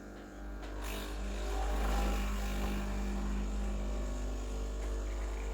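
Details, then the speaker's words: Breville Dual Boiler BES920 pulling an espresso shot at 9.2 bar settling to 9 bar: steady, low, even pump hum with no rattle or surging. Normal pump operation. "So perfect 9.2 bars of pressure. Now it's settling at 9 bars. It looks like a great shot."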